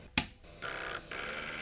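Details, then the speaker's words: IBM Aptiva 2139 late-1990s PC floppy drive: a sharp click then raspy buzzes as the head stepper strains against a carriage stuck on the worm shaft. "The motor is spun up. Uh, it's making a very strange noise. Uh, that noise I think is coming from the worm shaft. I have greased it, but it seems to be stuck."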